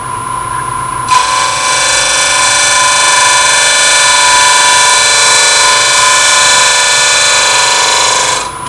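Even, steady high hiss from start to finish with no chatter or vibration, a clean scraper cut on the spinning workpiece.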